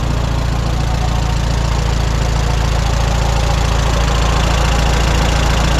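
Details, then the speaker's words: 1954 Allis Chalmers WD45 tractor at idle after hydraulic seal repair: soft, even rubbing from the bell housing (input shaft, pressure plate, clutch, throwout bearing). It stops when the clutch pedal is pressed. Not a knock or grinding; benign-sounding, cause unknown. "you know it's not a a terrible like a rod knock or a broken crankshaft or anything like that it's more of a kind of a benign rubbing noise"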